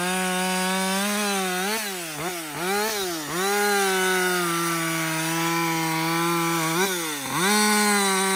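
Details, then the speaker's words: Husqvarna 562XP chainsaw back from the shop after a software reflash for dying when hot and not starting; high clean note sags briefly in the cut and recovers. It runs strong under load through its first full tank without stopping. "this is really the First full tank I've run through this thing like without stopping because I've never been able to get it to do it"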